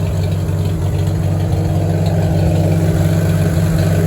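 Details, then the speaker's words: 1949 Farmall H, back to running well after tune-up to stop it cutting out, ticking over at a steady, even beat with a deep exhaust note and no misses; only a small drip at the fuel bowl noted. Normal idle. "all right the H is back to running really good moving"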